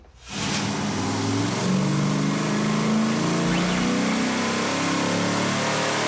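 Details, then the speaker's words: V8 truck on a chassis dyno after a new plug wire replaced one burned through and arcing on the exhaust: pulls hard and clean at full throttle, steady even roar, firing on all eight, air-fuel perfect, about 318 hp at the wheels. "alright well that sounded better"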